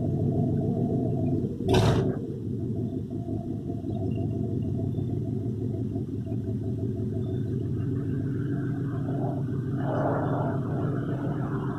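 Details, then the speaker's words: 1964 Ford F350, 60,000 original miles, sat for years. It got new belts, hoses, thermostat, battery, fuses, breaker points and a temporary unadjusted aftermarket carburetor. Low, steady idle rumble with no misses, knocks or hunting; it runs really well. "So as you can hear, the thing runs, and it runs really, really well."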